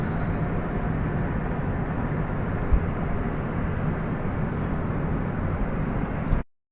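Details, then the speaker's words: Recorded on a street in São José dos Campos around 9 pm: steady deep turbine-like roar with no rhythm or pitch change, heard nightly; resident attributes it to the Petrobras refinery. "Ruído alto, assim que a gente dorme todo dia. Esse ruído parece uma turbina, isso vem da Petrobras."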